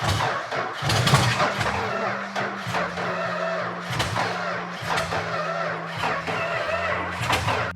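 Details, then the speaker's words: Vintage Dodge Challenger unrun for 30 years, cranked with fuel poured in and throttle held open: sluggish, uneven cranking with a weak pulse and no firm catch. Low compression and a slow starter are suspected; valves may be hanging open from dryness. "Right now, I don't think it has a lot of compression, and it's an awfully slow starter."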